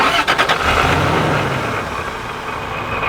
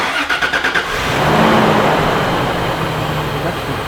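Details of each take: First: Toyota Tacoma fitted with a cheap supercharger, started after reattaching an old intake hose: a couple of quick blips, then a steady, even idle with no hunting or stumbling. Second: Used TRD supercharger just fitted to a Toyota Tacoma, first start and wide-open rev: loose metallic rattle and knock over the run; seller said it needed a rebuild; cause unconfirmed, some supercharger noise noted.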